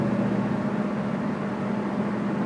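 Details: Camaro while driving: steady low hum with a faint pulsing throb under road noise; possibly a bad wheel bearing, unconfirmed.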